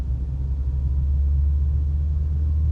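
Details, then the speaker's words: Manual-transmission car accelerating in 4th gear from 60 to 80 km/h: a deep, steady, loud engine drone under load with no knock. The high revs signal the point to shift up to 5th. "من 60 ل 80 زي ما انتوا سمعتوا كده ان صوت الموتور ايه عالي معايا. هبدأ اروح للخامس."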